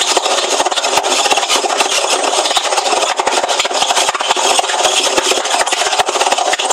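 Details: Hoover washing machine: harsh, continuous scraping rasp with rapid uneven clicks and rattles as the drum turns, a loud rubbing noise of unknown cause.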